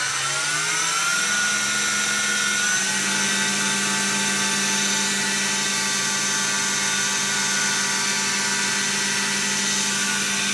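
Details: Second-prototype 2x72 belt sander/grinder with gas-piston belt tensioning, some wheel vibration noted: whine climbs about three seconds then holds steady with smooth belt hiss at half speed; tracking good, running healthy.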